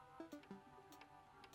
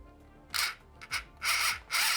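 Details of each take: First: 1985 Tomy Chatbot toy robot on pressing speak, cog stuck at its top position: faint, irregular light clicks in small clusters with flickering lights and no motor running; won't speak or move. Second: 1985 Tomy Chatbot robot, drive motor fed about 3 volts directly through corroded wiring: short bursts of high-pitched whirring each time power is applied. The motor spins up freely and works.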